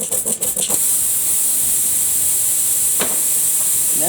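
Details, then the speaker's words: Lawn and garden tire puncture opened wider with the plug tool's file before plugging: a loud, steady hiss of air pours out nonstop as the tire leaks fast through the enlarged hole. "really coming out of it yeah now I put a big hole in it skip"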